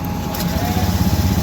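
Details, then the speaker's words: Honda Vario 110 ESP scooter, previously would not start, after CKP sensor reinstalled: catches and settles into a steady low idle with an even putter, no misses; running normally. "Nếu tôi là người thực hiện việc này mặc dù xe máy đã xong, nó đã được bật và động cơ đang chạy."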